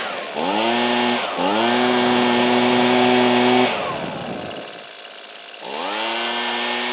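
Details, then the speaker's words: Husqvarna 125B two-stroke blower after replacing coil (no spark): fires up, revs cleanly, settles, drops off and restarts crisply with steady pitch; carburetor may need a little finesse, otherwise dialed in, normal running. "that's not too bad I think the carburetor might need a little bit more finesse but for the most part that sounds pretty dialed in"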